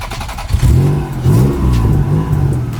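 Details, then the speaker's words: Engine just reinstalled, first start after about 2.5 months sitting, car still up in the air; after a throttle blip the idle hunts, rpm rising and sagging unevenly; owner suspects a vacuum leak. "Idling? It's probably because of that vacuum leak."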